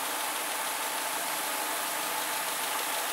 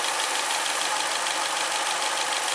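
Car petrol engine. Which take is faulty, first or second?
second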